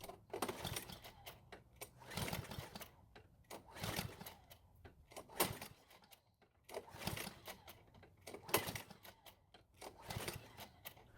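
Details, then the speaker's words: Curbside-found Cub Cadet mower, carb already cleaned, new air filter, choke flap opened with fuel put into the carb throat: rope pulls every two to three seconds turn the engine over but it never catches; no-start not from fuel, spark to be checked next. "So it still didn't start, which is exactly the same result my friend got as well."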